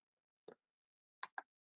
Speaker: You can hear the relay clicking until it actually fused the relay completely shut, which is like, oops, not a great idea.